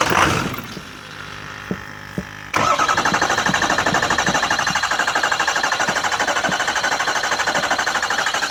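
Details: 6.0 engine hard to start: the starter cranks in steady even pulses about three a second for several seconds without catching. It started fine after sitting five days but took forever the next day; owner suspects fuel draining back.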